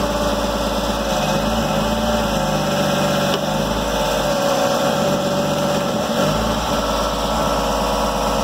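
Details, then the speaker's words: Lifted 2004 Jeep Grand Cherokee, 4.0 inline-six: steady idle with a harsh, clattery mechanical noise that sounds unhealthy; owner suspects it has no oil, cause unconfirmed. "so to me sounds like it's got no oil not sound very good you don't sound too healthy boys"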